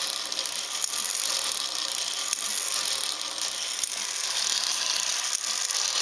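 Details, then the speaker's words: Ornithopter gear train run as slowly as possible by an EastSky motor of roughly 4200–5000 kV with a 10-tooth 48-pitch pinion: fine, fast, even ratchet clicking over a thin high whir; glide locks working normally. "I can rotate it forward with the motor of course but if if I go and try to move it back then it's just going to go up into the glide lock position which again would be right there"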